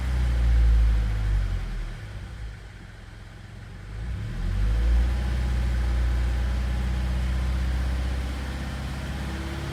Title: Fa20 knocking noise!